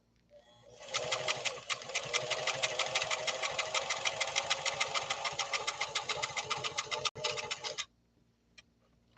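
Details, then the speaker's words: Italian-made Singer Fashion Mate Model 362 with 0.95 amp motor sewing a zigzag pattern in a silent workshop: even, rapid ticking stitch rhythm at constant speed for about seven seconds; sews smoothly and healthily. "And again, it's powered by a 0.95 amp motor, almost a full amp. And it's a very well-made motor on this Italian Model 362."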